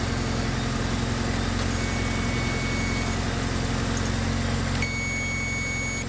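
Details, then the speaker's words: Toyota Glanza parked since 2021, first running on old fuel; steady idle, even low hum, faint high beep; white smoke, owner suspects burning coolant and a gasket, not confirmed; runs smoothly otherwise. "you got smoked what is that's SM rubber but she starts that's that's the plus that is a plus I wonder what is smoking"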